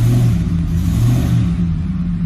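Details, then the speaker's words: 2007 Ford F-150 5.4L 3-valve V8 goosed in a short rev with no load: a ragged, stumbling beat as cylinder 2 stays dead from a loose, burnt spark plug, misfiring whether revved or idling. "so nothing nothing else number two is a dead misfire no matter if you goose it or it's sitting at island no load"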